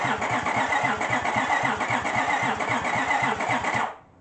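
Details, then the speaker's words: 2005 Honda Pilot with suspected washed-out cylinders, after oil was poured into the cylinders and the plugs refitted: even starter cranking with steady chuffs about four per second, each stroke loading evenly; some blow-back through the intake; good compression. "I'm going to say that sounds like compression. I think it was blowing it up through the intake, which is fine."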